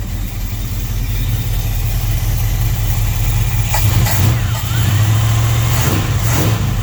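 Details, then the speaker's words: 1966 Plymouth Fury III 5.9L V8 running with a Carter P4594 electric fuel pump on: a deep rumble rises and falls with revs, with rough, uneven puffing from leaks in the unfinished exhaust. "yeah I've got exhaust leaks everywhere because the exhaust isn't obviously not finished yet"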